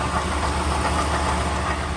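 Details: 2012 Toyota Tundra V8 idles with a busy, uneven rattle and knock under its steady low rumble, from a worn water pump bearing; water pump, thermostat and valve cover gasket replaced afterwards.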